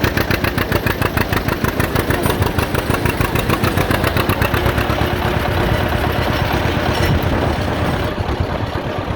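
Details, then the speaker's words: John Deere Model A two-cylinder tractor towing a loaded trailer on the road after charging system repair, with oil pressure good, still charging and temperature not rising. Slow, steady putt-putt with even beats and no knocks or misses; normal running under load. "We're about halfway back now. All the vitals are looking good and she's chugging right along just like it's nothing."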